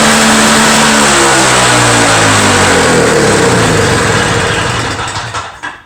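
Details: Two-stroke Toro snow blower after repair: revs up crisp and even, then winds down cleanly at shutoff, no misfire or hunting; owner suspects plugged jet caused the no-start.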